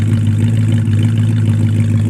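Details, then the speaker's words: 1973 Plymouth Scamp flood car (salvage auction buy) V8 just started, gas pedal feels a little wonky: deep, steady, even burble with unbroken beat, no knocks or misses; sounds mean, normal healthy idle. "Oh! She sounds mean. I'm not gonna lie. I was a little surprised by that, Mike."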